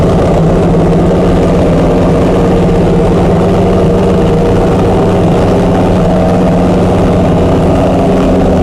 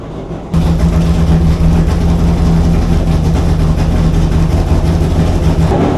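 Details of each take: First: Chrysler 440 Six Pack V8 with triple two-barrel carburettors, after replacing a damaged centre-carb gasket beside the power valve: smooth, even idle with a steady low rumble and no misses, knocks or stumbles; running healthy. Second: Chrysler 440 Six Pack V8 with rebuilt triple carburetors, not yet warmed up, fast idle: heavy uneven lumpy stumbling rumble; water-bottle test shows two cold exhaust pipes per side, four cylinders dead, running rich; cause unknown yet.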